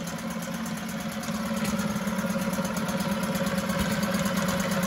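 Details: 1974 Mercury 4 hp single-cylinder two-stroke outboard in a test tank: steady, even, unbroken buzz growing slightly louder; runs like a top.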